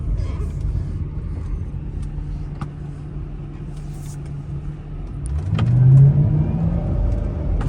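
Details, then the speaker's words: Mercedes SL500 after the Silver's Neomax coilover conversion: the rumble rises into a deep moan and vibration only when taking off hard, felt in the floor and heels. The drive shaft or exhaust is suspected, not confirmed. "Okay, yeah, it's just like a deep, it's in the, you feel it in the floor. I feel it in my feet, almost like the heels of my feet."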